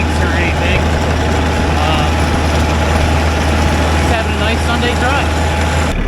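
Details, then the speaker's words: Mahindra 4110 diesel tractor after repair for an overheating-blown head gasket, driven 3–4 miles and not yet fully warm: smooth, even drone with a steady low beat, no knocks or misses, no leaks; running normally. "I drove for about 3 or 4 miles. Hasn't got up to halfway point yet, but so far she sounds good."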